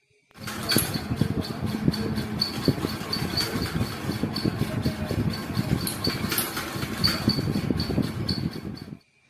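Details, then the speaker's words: A running ceiling fan rattles and clatters loudly with an uneven knock over a faint hum. The bearings have seized and the shaft is worn, stepped and cut at the bearing seat from heavy use. "ఇలా ఎందుకు వస్తుందంటే ఈ fan కి సంబంధించి బేరింగ్లు పట్టేసి అలాగే rod వచ్చి bearing seating దగ్గర అరిగిపోయిందన్నమాట"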